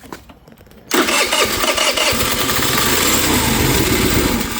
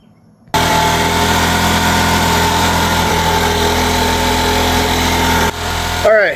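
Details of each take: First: MVP 49cc Chinese scooter with starting fluid sprayed in to bypass fuel delivery: after a quiet second the engine catches and keeps running, showing the fault is fuel getting from the vacuum petcock to the carburettor. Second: MVP 49cc Chinese two-stroke scooter with new carburetor fitted with the electric choke from an old carb: settles into a steady, even idle on its own, slightly high but clean; it now starts and runs.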